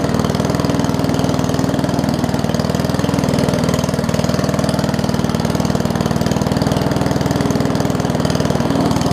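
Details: Old Murray push mower with small wheels and a Briggs Classic engine, fuel tank swapped from another mower and oil topped off. It gives a slow, loping chug of about four beats a second that never picks up: a low idle, apparently from a missing governor spring.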